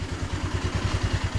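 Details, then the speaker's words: Cold Baotian 125 scooter single-cylinder, just fitted with a new Chinese carburetor and new intake manifold (old one cracked): even, steady thump of about seven pulses a second with no stumbling, starts and idles cleanly; normal idle, may still need adjustment. "Je suis au ralenti. Ah ouais, la canne même plus. Il démarre au ralenti. Peut-être un réglage, hein, mais bon. Pour l'instant il est froid."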